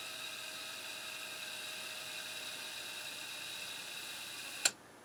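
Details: Harman Kardon CD 191 cassette deck with a faulty transport mechanism, after cleaning the idler belt: even, steady high whir from the spinning reels with no dragging or wavering, ending in a clean click stop; rewind is healthy.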